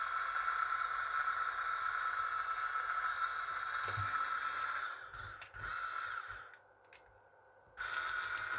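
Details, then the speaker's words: Salvaged Japanese gearmotor, shaft clamped tight with pliers as load: steady high whine holds its pitch while pulling, dropping out briefly; the gearbox lets it still pull strongly, healthy. "kẹp chặt như thế này vẫn kéo bình thường nó là motor nó có cái hộp số có khác kéo khỏe"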